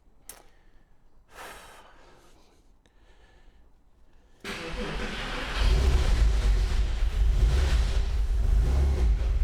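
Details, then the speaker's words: Porsche 911 Carrera 4 bought with burn damage and listed as not running, first key turn: quiet fuel pump hum, then the engine fires and settles to a steady low idle with no knocking; only smells of fumes. "But it's not knocking What on earth is happening? I don't know what to say."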